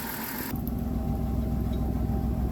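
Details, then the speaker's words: 2003 Dodge Caravan cargo suddenly fluttering, white smoke and raw gasoline from exhaust, stalling on acceleration, injector code; new injectors didn't help; uneven lumpy idle, misfire traced to damaged injector wiring harness. "it was running great all of a sudden it started throwing white smoke smelling like gas and just fluttering we could barely even um drive it actually"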